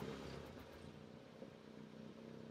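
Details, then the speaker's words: VW Golf R at 30K miles after intake manifold carbon cleaning, treated for a small MPG drop: petrol engine idles roughly, note sagging and surging as cleaner burns off, on restart after one-hour wait, with heavy exhaust smoke following. "I did clear some looks like we got this just a startup light I think so it's going to sound pretty bad just bear with"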